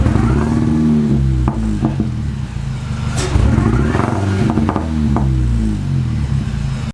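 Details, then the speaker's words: Mini with misfire and stalling issues: revs rise unevenly, stumbling and breaking up in uneven bursts when setting off; ignition misfire before new plugs and wires. "you go to set off and it just stumbles and wants to breaks up it sounds terrible"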